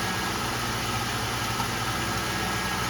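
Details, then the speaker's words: 2000 Ford Crown Victoria P71 V8, first start after fuel pump replacement, primed three times: steady, even idle with a smooth low rumble, no knocks, misses or surging; running normally. "Here we go. First start. All right. Looks like it's running. Yeah. There we go. She's a runner."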